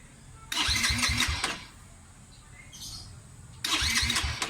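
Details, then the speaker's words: Motorcycle stored unused a long time, new starter fitted after old one burned from high-amperage battery: two short starter bursts, about a second of whirring cranking each, never catching; hard starting. "hard start talaga siya mga Sir yan mamaya ngayon mga sir e check ko yung karburador niya kung ano ah anong problema kasi hard start siya"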